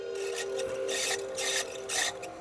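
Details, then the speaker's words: Secondhand PlayStation with Alien Trilogy loading: thin steady squeal with scraping bursts as the disc spins up, a little squeaky until up to speed, from a worn optical drive spindle bearing; disc still loads. "It came with a demo disc. That's a little squeaky. Once it got up to speed, it's up."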